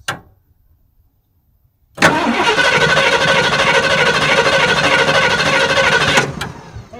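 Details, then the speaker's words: 1979 Ford E350 Scamper motorhome with a 460 big-block V8, first revival attempt: after a pause, the starter spins the engine steadily and evenly for about four seconds. The starter works normally. "something happens the good news is we've got a starter"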